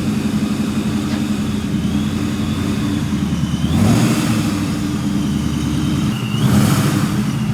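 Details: 1999–2004 Ford Mustang GT with a newly installed Vortech V2 supercharger and 4-inch intercooler, on its first drive, heard from outside. The engine pulls past with two strong throttle surges and a rising supercharger whistle each time. Earlier fluttering was fixed once a part was hooked up. Normal, healthy running.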